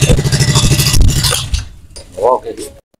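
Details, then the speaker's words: Yamaha Sniper 135 with a 65mm bore kit, kick-started and idling in neutral: a loud, fast metallic clatter of about three ticks a second rides over the single's idle from a broken rocker arm roller bearing in the valve train. "dinara nila dito na ah umaandar nga pero sobrang ingay napakaingay kung Literal na ingay maingay talaga"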